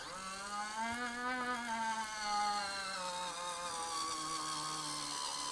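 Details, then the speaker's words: NZXT H1 PC with a GTX 1080 Ti that was crashing: the water-cooling pump, refilled and spun up on a SATA power supply, gives a wavering, uneven whine that drifts in pitch. Air is trapped in the loop and needs bleeding. "that doesn't sound very healthy [Music] [Music] hmm okay there's the noise yeah something not quite right there I feel so unplug that"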